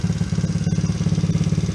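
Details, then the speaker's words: Coolster 110cc ATV single-cylinder after carburetor cleaning and new A7TC spark plug, idle screw turned up because it won't stay running otherwise: quick, even put-put, about twelve beats a second, no dying or stumbling; high idle speed. "Now, if you see right now, this thing wants to just move on idle because I have the idle adjusted up. If not, it just doesn't want to stay running."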